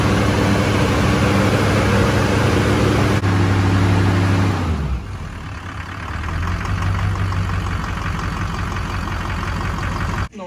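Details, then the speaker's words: Shorty Duramax diesel, first start after complete frame-off restoration, fuel not primed: deep, steady idle with an even low beat about four per second, no knocks or misses; runs good, only a transmission line leak, tightened. "we started the truck it runs good"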